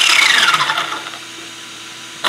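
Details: ZD Racing DBX-10 RC car on the table, rear wheels spinning: a high-pitched drivetrain whine falls in pitch as the motor spins down, then bursts again. The source is unclear, either the slipper clutch or the rear diff; the owner doubts it is the slipper clutch.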